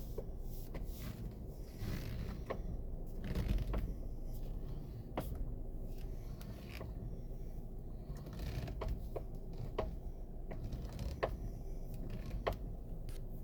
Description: 2016 RAV4 steering knocking sound (fixed), try to regrease the spiral gear inside the column before thinking of replacing the steering column, intermediate shaft, and rack n pinion, after regreasing the knocking noise is gone..saves me $$$$